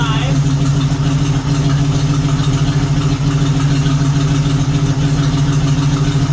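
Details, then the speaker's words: 1976 AMC Gremlin 232 inline-six at idle, plug-wire pull test shows cylinders 5 and 6 dead: lumpy, uneven idle with irregular stumbling exhaust beat; causes heavy vibration under throttle. "So why is 5 and 6 down? It makes sense why it vibrates ridiculously when you give her some throttle, because she's out of balance a little bit."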